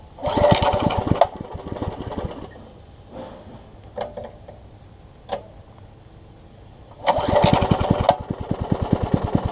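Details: Troy-Bilt Tuffy rear-tine tiller, rebuilt from pieces; gas is reaching the carburetor but it won't keep running. It pops into life for a second, dies, coughs weakly, then fires briefly again: fuel starvation from a carburetor diaphragm fitted the wrong way.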